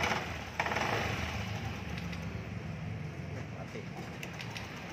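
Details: Honda Beat Street 2020, six months old, was previously noisy. After a replacement part is installed, it idles quietly and evenly with a soft low putter and no knocks or rattles; normal idle.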